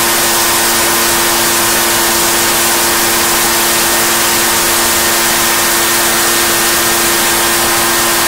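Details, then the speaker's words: Echo PB-755ST two-stroke backpack blower, bought new two years earlier, after fresh fuel and carburetor adjustment (it had been bogging and dying under throttle/load); loud steady high-pitched scream at full revs with constant rushing airflow, no sag or bogging, running normally. "so we adjusted the fresh fuel adjusted the carburetor we're good to go now you guys heard this thing we've started screaming right there's nothing wrong with this screaming right"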